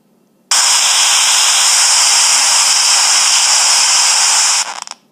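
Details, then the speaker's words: iPhone 5s speaker: loud hissing static bursts on abruptly, holds about four seconds, then cuts out. It happens when texting, typing, receiving notifications or playing music, and a restart did not cure it; a phone reset later stopped it. "So ever since about an hour ago, whenever I try to send or type a text, it does this instead. It also happens when I receive texts, or when I play music."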